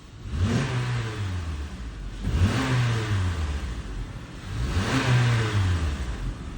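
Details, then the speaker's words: 2015 Honda CR-V 2.4L AWD, after oil service for rattle blamed on low/dirty oil (VVT solenoid/phaser suspected), worse when cold: light throttle blips rise and fall cleanly, even note, rattle gone; normal engine revving. "all right we are getting no more rattle I'm going to take it for a test drive"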